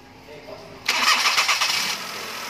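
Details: Perodua Kenari, hard-starting engine suspected due to coolant temperature sensor: quiet for nearly a second, then catches cleanly in one go and settles into a steady idle; starts easily.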